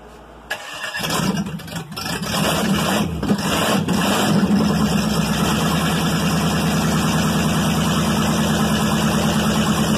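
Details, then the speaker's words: 305 V8, first start in years after prep, with starter fitted; cranks, catches within a second, settles into steady even run, no knocks or misfires, runs smooth; normal running. "that [ __ ] runs smooth run good ain't no doubt"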